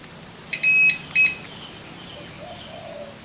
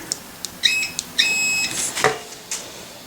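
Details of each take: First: 330 MiniHex rebuild, continuity testing: two short high-pitched tester beeps show continuity on the negative where there should be none; cause suspected, not confirmed. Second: Continuity test on the wiring of a 330 MiniHex build: short, clean high beeps when the probes touch, confirming a good connection.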